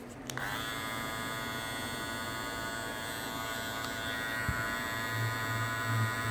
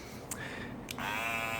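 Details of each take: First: Andis Master cordless hair clipper, new, after reseating lid/cover in its groove to cut vibration noise: starts and runs with a steady high buzz, even and free of rattle; normal running after cover reseated. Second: Andis Master cordless clipper snaps on into a loud, coarse, rattling buzz, louder than an adjusted unit, quieter when held; vibration buzz from loose housing lid.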